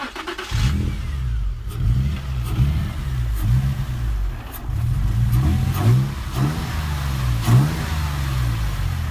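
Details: Nissan G35 in limp mode: engine speed surges and sags every second or so, revs hunting instead of holding steady. Caused by a piece of styrofoam contaminating the MAF sensor and a clogged air filter that ripped the intake boot; both replaced.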